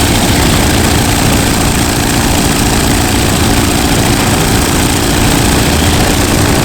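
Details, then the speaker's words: WW2 T6 trainer airplane radial engine, last started three weeks earlier, cranked outside: deep, steady, even rumble without stumbles or misses after catching; running normally. "It runs. It runs. It fired up."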